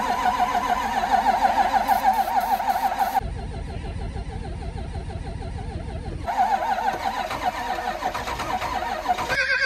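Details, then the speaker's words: Ford Power Stroke diesel, cold start around -16°: labored uneven cranking about three turns a second in long bursts, never catching; turned over faster than first try but still no start; owner suspects ether lock. "it turned over faster than it did the first time so try number two"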